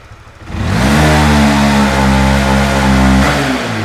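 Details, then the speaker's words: Honda Winner V1 (2015–2018) motorcycle on full throttle: revs climb, then the note stalls flat and sags as the tachometer drops, heavy hesitation blamed on a worn throttle position sensor track. "anh em nghe cái tiếng máy nó sẽ lưu đi và đồng thời cái đồng thời là cái kim báo tua máy nó sẽ tụt xuống anh em nhé"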